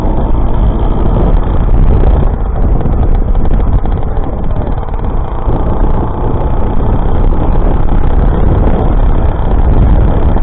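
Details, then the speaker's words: Rebuilt YD100 two-stroke running on E85/methanol, 51mm piston in a re-bored jug, new copper exhaust gasket, first start after rebuild: loud, deep, steady even buzz, no knocks or rattles; runs healthy. "we'll get some fuel in this start it up in a minute see if it runs"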